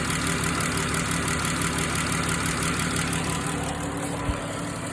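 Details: Chrysler Pentastar 3.6 engine with engine cover rocking: steady idle with light, fairly regular tick about three times a second; engine ticking at idle, cause unknown.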